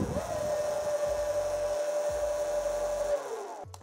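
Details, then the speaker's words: SUR-RON Light Bee electric bike, code entered via brake lever (6 short, 1 long, C1 on display) so throttle works with kickstand down; steady mid-pitched motor whine for about three seconds then winds down; normal motor run. "und wir haben den Ständer nach unten und ich kann trotzdem Gas geben"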